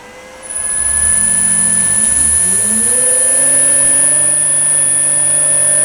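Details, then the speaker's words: New three-phase motor for Myford ML7 lathe on 2.2 kW 220V VFD, jogged in forward/reverse: motor hum climbs smoothly in pitch then settles to an even tone under faint high drive whine, fan on; runs normally. "You can hear the fan come on, and the motor will turn at a slow speed, or whatever speed you've set it to run at."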